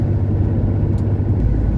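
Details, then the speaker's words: 1970 Porsche 911T flat-six on first road test in 12 years, about a mile in, at 25 mph limit: steady low drone with no stumbling or surging, much better than before; normal running. "Well, we've gone about a mile now and I can already tell you that this is way better. So, I think that's definitely the issue was the fuel pump."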